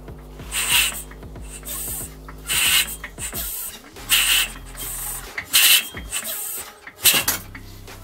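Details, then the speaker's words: Rebuilt Yamaha IT490/YZ490 with a modified head and added lever decompression valve, head torqued to 16 ft-lb, kicked over: a sharp airy hiss with each kick as the valve vents, while compression is still retained. "you see here now you can hear the decompression the whole release and the compression"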